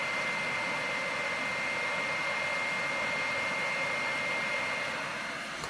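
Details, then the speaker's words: PS4 Pro at game start, before cleaning: loud, steady airy roar with a faint high whistle that never lets up; the cooling fan runs far too loud. "like I could be playing for a while this thing won't shut up even if you wear headphones you'd still hear it"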